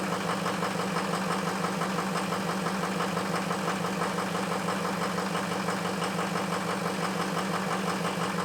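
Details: Ford F350 cold start after a high-30s °F night: lumpy, uneven cold idle, about three pulses a second with a faint knock on top, from two bad injectors.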